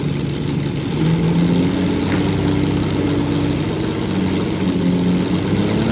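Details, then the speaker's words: Lamborghini V12, original engine of the 6th production car, not run properly for a while, misfiring and not on all 12 cylinders; uneven wavering idle with pitch hunting up and down; owner trying tricks to restore all cylinders without removing spark plugs. "So, what I'm going to do is do a few tricks to uh see if I can coax this into into on back onto 12 cylinders without taking the spark plugs out. even though some of them are not working."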